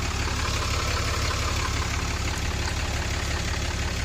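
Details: 2014 Ram Cummins diesel after aftermarket VVT turbo actuator replacement, warming up fully: steady, even idle clatter with a low regular beat, no missing or knocking; healthy.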